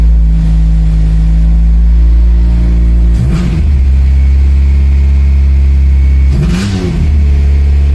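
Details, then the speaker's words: Honda Del Sol with freshly installed B20 engine, first run: loud, deep engine at a high idle with two revs, harsh raspy exhaust note; owner suspects an exhaust leak, and the idle is running high. "sounds like an exhaust leak for sure"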